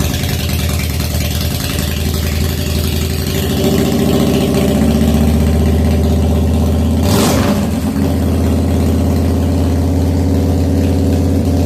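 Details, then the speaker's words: 1997 Harley FXDWG, odometer 6,948 miles, first start after S&S carburettor repair and crankcase vent kit, battery temporarily hooked up: cold V-twin idling lumpy and a little uneven at about four beats a second; idle still needs setting. "okay so it's started think I will now uh play with it and try and get it the idle better cool"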